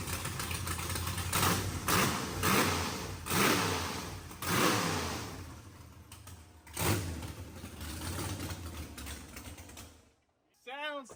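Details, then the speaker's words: Mississippi Queen AWD build engine, first start with fresh plugs and tune-up rotor: catches and runs with uneven rises and falls in revs but no knocking or tapping, healthy; fuel pressure sensor reads erratically and throttle blade still needs setting. "healthy. That's good. That's yeah. We got a couple of little small issues."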